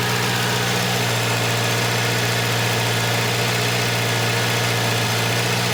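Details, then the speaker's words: Volvo 240 cold-started in about 20-degree weather, idle high and settling as it warms: steady idle with a harsh raspy hiss like an open downpipe, heard near the exhaust; owner suspects a bad exhaust leak. "Oh boy, there's a bad exhaust leak because I can hear it right here. Like it's an open downpipe almost."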